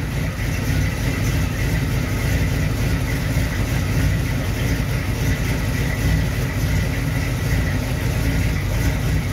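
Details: 1937 Dodge engine idling after a new distributor install and initial timing set; steady, even low rumble with no misses, knocks or stumbles; distributor works fine, runs like a champ, but needs new plug wires.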